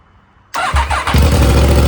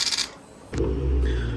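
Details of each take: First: Yamaha R1 during rebuild, previously wouldn't start, now idling fine once warm; fires quickly into a loud, crisp, even idle through open headers and mid-pipe only, steady firing pulses, healthy. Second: Yamaha R1 being rebuilt after a crash, first start attempt: one sharp starter relay click then faint electrical hum, no cranking; bike didn't start, weak battery.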